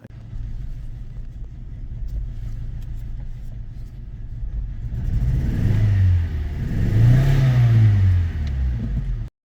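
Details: Audi 1.6 FSI, still running after a 35-mile drive: lumpy, uneven beat that stumbles as revs climb; borescope shows a hole burned through piston two, with piston four sludgy and its plug gritty with a mushroomed tip; misfire from holed piston.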